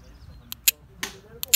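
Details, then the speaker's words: VW Polo 6N automatic stuck in gear 3, transmission valve-body solenoid bench-tested by applying battery polarity: sharp, crisp paired clicks with visible movement, solenoid working. "do you hear that clicking sound and if you can check cleanly on what is happening here you'll see some movements so this shows my solenoid is okay"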